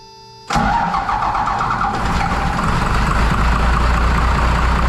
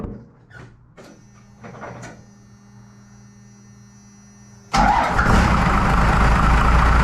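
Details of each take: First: 1993 Dodge W250 with 5.9L 12-valve first-gen Cummins, just after injector replacement: starts abruptly then chugs and stumbles unevenly at about three beats a second; air in the injector lines, before bleeding them. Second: 1993 Dodge W250 with 5.9L 12-valve Cummins, just after injector replacement: quiet clicks, then the diesel fires into a steady, even clatter with no misses; steam from spilled diesel in exhaust. Normal idle, sounds better.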